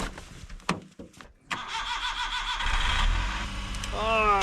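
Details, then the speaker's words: Kei truck that tends to freeze up and not start in very cold weather: after a quiet pause the engine catches within a second and settles into a steady, even run; a clean cold start. "sure is nice when things work."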